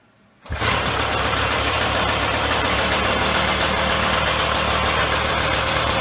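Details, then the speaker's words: 1995 Polaris Scrambler 400 2-stroke 4x4 ATV right after replacing the leaking PTO-side crankshaft seal, which had caused a lean idle: fires at once into a steady, even idle with crisp firing, no hunting or surging, normal. "Now that that seal is replaced, I'll fire it up. You'll hear it run."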